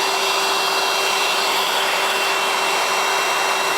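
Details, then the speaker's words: Milwaukee M18 0880-20 2-gallon cordless wet/dry vacuum on an M18 battery, tested outside with the hose held in place; steady airy rush with a fixed high whine, no pulsing or rattle, suction working normally. "We'll just turn it on. I can hear the suction coming in here."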